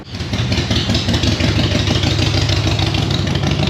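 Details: GMC Terrain that stalled and ran rough with P0017 cam timing code, after swapping in a cam actuator solenoid and clearing codes, intake and exhaust cam actual matching desired: engine catches right away and settles into a smooth, even idle with no stumbles or misfires.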